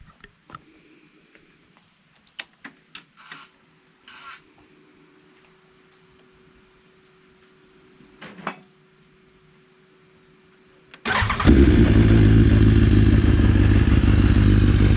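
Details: BMW S 1000 RR/R/XR at cold start, 54,000 km: quiet clicks and a faint priming hum, then a loud, busy idle with rattly chatter; a stretched cam chain is suspected, with the fix being the silver tensioner screw plug.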